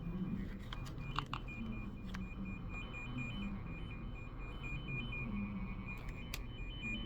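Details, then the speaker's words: Tone generator plugged into a dead phone line at port A36 and switched on to scan: a steady repeating electronic warble over room noise, the expected beeping tracing tone. "We're gonna turn it on to scan, and then we should get a beep, beep, beep, beep."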